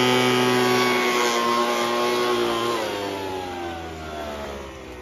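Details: Poulan Pro 25cc gas leaf blower two-stroke, reassembled after no-compression fault, compression now about 150; smooth, even high buzz winding down steadily as throttle eases; normal running.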